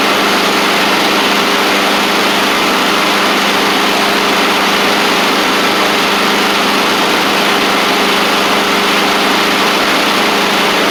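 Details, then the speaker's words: Husqvarna push mower with a Honda GCV160, after the baffle thought to be hit and causing the knocking noise was pulled back. A steady, even drone with a constant low hum and no clunks or knocks. Normal running. "That's what it was, I guess. It's that baffle."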